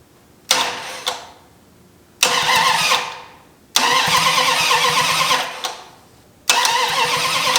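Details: 1972 Dodge Challenger dune buggy with new MSD distributor, no manifolds or headers, weak battery: four cranking bursts with sharp pops, never catching; ignition timing 180 degrees out, spitting fire.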